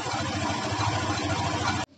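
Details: Honda Beat scooter after fixing a kletek rattle from the drive pulley shaft: steady even idle beat, no clatter from the drive side, then clean shutoff; normal idle.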